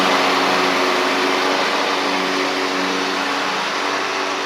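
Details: Ferris stand-on mower with Briggs OHV twin, after repair of one-cylinder running: loose intake pushrod guide bolt had thrown the pushrod off; refitted unbent, valves correctly gapped. Even steady drone while moving, no stumble or skip; healthy.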